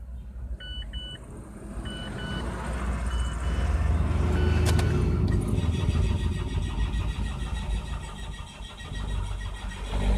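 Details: Mazda 3, hard starting cold in the morning and after a short stop: dash chimes, then long steady cranking that runs for seconds without firing cleanly; cause found as clogged fuel pump strainer and fuel filter, also low power on acceleration.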